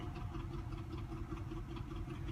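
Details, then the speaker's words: 1988–91 truck, about 90,000 miles, probably a 700R4 transmission: deep, uneven, lumpy idle shaking the whole engine and hood. Owner suspects a clogged fuel filter or water in the tank; apparently only an EVAP code, O2 sensors suggested by others. "see the hood shakin Itron so rough it's shaking like the whole engine's moving back and forth real hard idols are rough"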